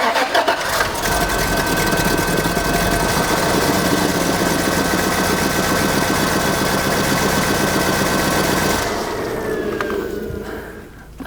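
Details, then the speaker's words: Engine started cold for a few seconds after it blew its radiator neck and lost all its coolant: it runs with an uneven, lumpy, Harley-like pulse. The engine is judged no good; it knocked when warm, with misfiring attributed to a failed head gasket. "wizard it sounded like it at a Harley-Davidson there it sounds really bad"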